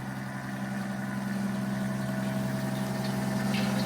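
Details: Rebuilt 90-year-old Gilbarco Model 80 (GMB 80) gas pump running: steady, even low hum with a constant tone, no knocks or surging; the pump motor runs smoothly and healthy.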